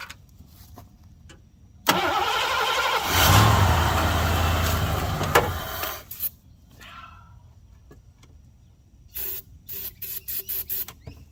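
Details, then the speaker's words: 1987 Mercury Grand Marquis LS abandoned for about a decade: engine cranks, catches on sprayed brake cleaner and runs terribly rough for a few seconds before dying; fires only on sprayed fuel. "Well, that sounded terrible. I didn't like that. Oh. One more time. Come on. Whew. Maybe if I had some actual starting fluid."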